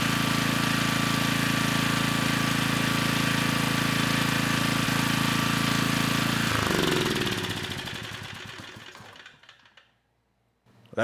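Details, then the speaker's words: Generac 3500 W generator with GN220 single-cylinder engine, after carburettor repair replacing a broken jet: starts right up with the choke off and runs at an even, steady beat for six seconds before stopping; little smoke. "uh this time it started right up with the choke off you know likely there was still some fuel in the cylinder from the last time we ran it with the broken jet you know but this time the engine got right up to speed"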